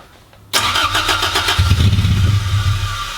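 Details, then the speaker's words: Toyota MR2 Mk1, GE engine, first start in 12 years, no exhaust fitted, coolant leak present: half a second of quiet, then catches and runs loud and raw with uneven idle settling in. "and I don't sound too bad with no exhaust on it does it kind of if you like it obnoxiously loud Happy Days"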